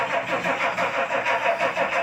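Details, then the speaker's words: Old non-American luxury car with sunroof, needing extra priming: starter churns in an even beat about five pulses a second without catching; long cranking, hard starting. Cause not confirmed. "It will start. It always does. She wants to. It's not an American car. It has to be primed a little bit more."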